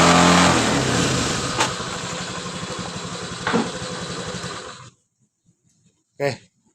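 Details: 2019 Honda Scoopy, first start after replacing the connecting rod and piston kit to cure a noise from the middle of the engine: it catches and runs a steady, even putter, then shuts off; smooth and healthy normal idle.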